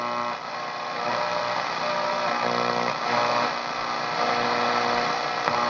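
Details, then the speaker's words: Restored 1960s Zenith J512W AA5 AM radio with miniature tubes and new capacitors, on its internal antenna only, in a basement under LED lights: a constant gritty buzz and hiss with faint pulsing and no station, from LED interference. "I'm not going to get anything here with it because I'm under a bunch of LED lights."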